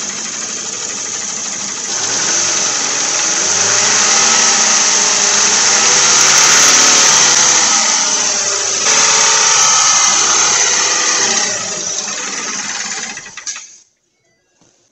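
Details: 2011 Ford Fusion revved while refilling coolant after thermostat replacement for P0128, heater on: clean rev climbing, holding and dropping back smoothly twice, no knocks or rattles; normal revving.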